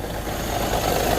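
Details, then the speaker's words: Mazda BT-50 Pro 2.2 diesel, manual gearbox, idling with clutch released: a fast rough knocking rattle rides over the engine and disappears when the clutch is pressed. The gearbox bearing failed from wrong gear oil; fixed with a new bearing and 75W-85 oil. "พอเหยียบคลัทช์เสียงไอ้กรอกๆๆๆๆๆเนี่ยมันก็หายไปปล่อยพอปล่อยคัชเสียงมันก็กลับมาดังอีกเสียงมันก็กลับมาดังอีก"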